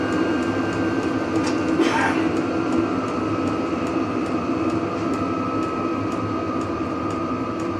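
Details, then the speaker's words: Vevor diesel heater run off an Anker Solix C300 battery bank, turned down to its lowest heat setting by remote after high: steady fan roar, soft fuel pump tick about every half second and faint whine; running normally. "So now on its lowest heat setting, it's"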